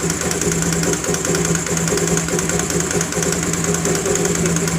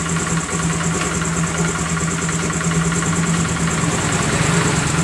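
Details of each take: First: Honda Grazia BS4 scooter at idle: sharp ticking puff about two per second, in time with the engine, first mistaken for timing chain noise; the spark plug was only loosely fitted and leaking compression. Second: Honda Grazia BS4 scooter after the front was opened and the noisy part cleaned and refitted: idles with an even, steady hum and no ticking or rattle; sound now smooth.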